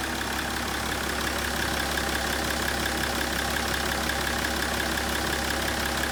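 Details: BMW 530d E61 M57D30 3.0 diesel after cylinder head gasket repair and timing chain replacement (a chain guide was found broken). Steady, even idle with ordinary injector clatter, no rattle, slap or chain noise: healthy.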